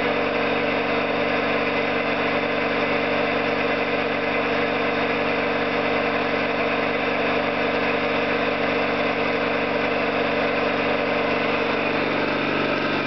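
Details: Orlík 2 JSK 75-2 compressor at one of its first starts after the owner's rebuild of valves and seals, motor provisionally in star for the house breaker; steady even pumping beat with smooth hum, no knocks or rattles; normal running.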